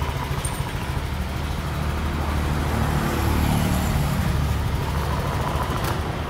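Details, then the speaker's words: Honda Vario 125 injection scooter after repair of a rough-sounding engine by replacing only the cam rocker arm (pelatuk klep): even, smooth note swelling slightly with throttle, no top-end rattle; normal running. "oke Saya rasa cukup e jadi untuk motor Vario yang berkendala kemarin mesinnya itu kasar ya nah jadi penggantian itu hanya di bagian Plato kelb engak ada yang lain"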